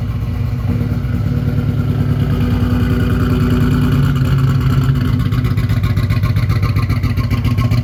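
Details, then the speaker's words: 1987 Buick Turbo T (Grand National) at cold start after sitting 12 years: deep lumpy but even idle, slight rev rise, no knocks or misses; oil pressure mid 60s, alternator charging; runs fine. "I'm so excited seeing this thing running and driving under its own power. After 12 years, it's incredible."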